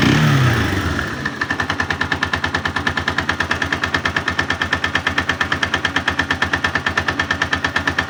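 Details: 162FMG engine: strong, regular metallic knocking about three per second at idle, quieter when tilted to one side; loud internal knock, source not yet located.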